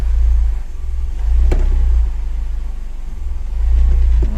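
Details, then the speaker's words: Mercedes CLK after replacing the clutch and flywheel for a metallic idle noise that eased with the clutch pressed: on a test drive with gears pushed, the engine drone rises and falls with throttle, no clunks or grinding; noise gone, drivetrain normal under load. "violent elle fait plus de bruit vitesse ça se passe bien ça va donc on est nickel"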